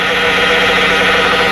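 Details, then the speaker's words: Possibly a 2011 Dodge Caravan on a cold first-morning start with thick fluid: a steady high whine over idle that is blamed on the 62TE transmission, not the power steering pump. Lack of maintenance and fluid starvation are suspected. "the pool ladies and gentlemen that noise is coming from the 6:52 you transistor it is not repeating it is not a Palestinian or because"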